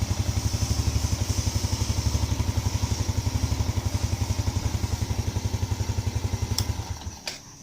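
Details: Yamaha Lagenda 115 with hard-starting problem when cold: steady, even low thump at roughly four beats a second, no misses or clatter; healthy idle, starts easily now.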